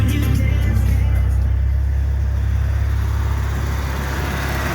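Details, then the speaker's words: 1988 Shelby CSX-T idling with AC switched on: steady idle with a loose, uneven rattle on top once the AC engages; the AC compressor, noisy for years but still cooling well, is rattling. "i will turn the ac on now and you'll be able to hear the kind of the rattling noise that stupid thing has"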